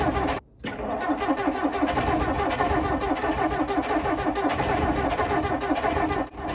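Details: 1959 Plymouth taxi with Perkins P4C diesel, cold: after a brief pause, steady rapid starter chugging turns the engine over and over without catching, smoke billowing from under the hood; very hard cold start.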